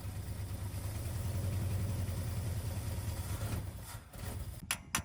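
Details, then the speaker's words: 1979 Ford F150, first start after a carburetor rebuild and oil change: a low, lumpy idle shakes for seconds then dies. Carburetor flooding, because the floats hang up and gas backs up through the vent ports. "so the carb is overflowing uh the floats were getting hung up which is causing the gas to back up through these vent ports"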